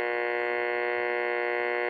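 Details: 1952 Westinghouse clock radio running after repair, drawing 25.2 watts: steady, even mains hum with clean unwavering tone, no crackle or dropouts; a slight speaker rattle suspected from the case not being screwed together.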